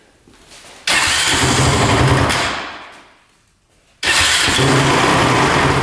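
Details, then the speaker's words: Honda TRX450 quad that bogs and won't rev out: fires and revs briefly, falls away and dies, then catches again roughly, with a lot of chattering from the top end; not running right. "start it up you can hear a lot of chattering in the top end see if he fires back up but yeah it's not running right for sure"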